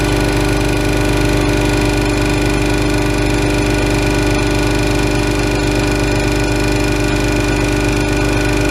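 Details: Ingersoll Rand 5 hp single-stage twin-cylinder 60-gallon compressor started at about 50 psi tank pressure, feeding a plasma-table air system: loud steady drone with an even chuff about three times a second, no knocks or rattles; normal running.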